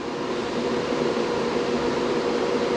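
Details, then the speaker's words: BTC-S37 mining rig, 6x RTX 3060 Ti, mining with case closed, about 70 dB: steady even rush of air with faint constant hum, no rattle or wobble; normal fan noise. "on a à peu près 70 soit c'est sûr que je suis attention pas trop parler pour pas que ça fasse trop de bruit on s'abaisse un petit peu les décibels"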